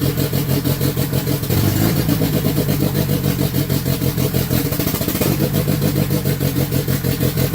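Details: Conquest engine after throttle position sensor reset (was reading about 28–31% open): fast idle with uneven, slightly hunting beat and low rumble, running a little rich at AFR about 13–14; idle still high, auto tune considered.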